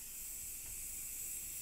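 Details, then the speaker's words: Compressed air engine being pressurized: steady loud high-pitched hiss cut off sharply; air leaking from several places, mainly the connector, slightly from the cylinder top gasket needing tightening. "it's leaking out of quite a few places I'm not sure exactly what to do about that I actually think it's leaking out of the connector yeah I can hear that"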